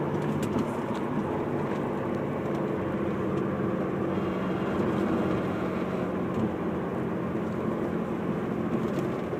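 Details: Car with a steady, even buzz over a constant rumble, pitch never changing; cause of the buzz not clear; buzzing noise.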